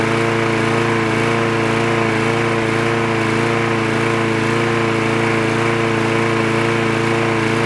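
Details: Trash-picked free Craftsman lawn mower with automatic choke, running after the spark plug wire was reconnected: a fast, even buzz at a steady pitch with no misses or surging; it runs cleanly.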